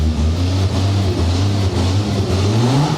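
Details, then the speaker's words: Jaguar XJS V12 running on its own for the first time after nearly two years off, having fired up and died previously; smooth deep engine note rising and falling with throttle blips, no stumbling: normal revving. "It runs! The XJS runs! I'm so happy. Oh, listen to that. Awesome!"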